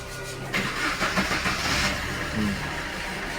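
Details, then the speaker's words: Suzuki Swift diesel after refitting a loose fuel temperature sensor coupler (DTC P0180, now in history): short crank, then a steady, even diesel idle with no knocks or misses; MIL still lit and needs clearing. "Start হয়ে গেছে আমাদের গাড়ি, এমআইটা এখনো জ্বলছে, MI light জ্বলছে, সেটা clear করতে হবে।"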